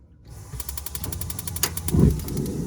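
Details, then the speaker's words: Instant propane water heater in a cargo trailer camper conversion, vent not yet fitted, lit by turning the water on: rapid even ticking, about eight clicks a second, then a soft whoosh as the flame catches; normal burner ignition, shuts off with water. "right, so yeah, there's the flame, and you heard it click or whatever, and then when I turn the water off, it turns it off, right?"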